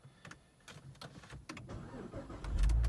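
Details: 2006 Saab 9-3 Aero convertible V6 turbo automatic with a traction control message and intermittent no-crank: quiet clicks and short cranking bursts, then the engine catches and runs evenly after bumping the starter.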